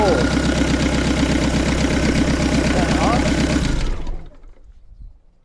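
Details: Range Rover Classic barn find, off the road eight years, rebuilt 2.5 VM diesel just fitted: clatters at a rough, fast beat for about four seconds then dies into silence; catches but stalls after starting, cause not confirmed.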